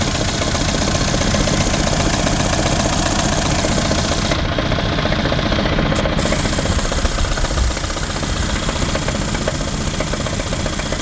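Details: 2012 Mercedes CLS550 V8 at idle, no check engine light: fairly steady knock, about two to three beats a second, over the engine's rumble, seeming to come from the passenger side of the engine.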